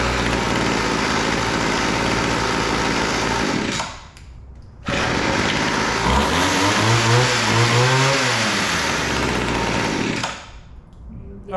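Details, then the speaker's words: Weed Eater GHT22 hedge trimmer two-stroke, long unused, after carburetor adjustment (high-speed needle too lean, low-speed too rich): buzzy revving and settling, dipping to low idle twice before picking up; running properly, now idles. "that sounds pretty good uh we need a little adjustment on the carburetor"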